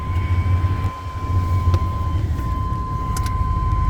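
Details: 2000 Chevrolet K3500, 7.4L 454 big-block gas V8, 147,000 miles, 4L80E automatic, no codes: even, steady low rumble at idle with no knocks, misses or squeals; idling smoothly.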